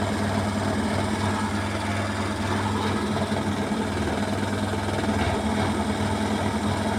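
Steady high-speed spin with a continuous hard rattle and buzzing vibration over the drum hum; the load is badly out of balance.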